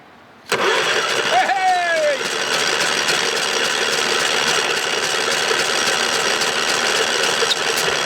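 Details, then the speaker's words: Fire-damaged engine with melted plastic and a spark plug removed, cranked on the starter from a jump pack: a steady, even whirr with no binding or clunk; it turns over freely, though a later compression test first showed zero. "As long as I got her turning over like that."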